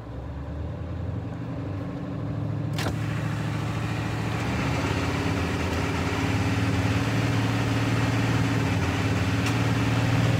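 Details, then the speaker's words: 7.3 diesel truck revving, harness already replaced: steady firing beat broken by a couple of sharp skips, with intermittent knock. Misfire and knock at higher rpm; cause unconfirmed, owner asking for help. "what I notice is the winner at higher rpm it will give me a skip and it will not give me a knock and then spit right back up and then give me a knock and then back off"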